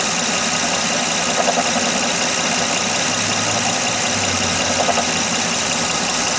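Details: 2006 Honda Odyssey at idle with a fast, uneven light knock over a busy idle. It persists after replacing the water pump, timing belt, tensioner, pulleys and power steering pump; the source is not yet found.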